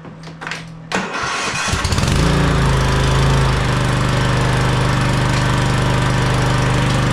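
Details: Cub Cadet CC30H riding mower with dead battery, on 50-amp charger boost: a few slow labored cranks, then catches into a steady even idle; starts fine.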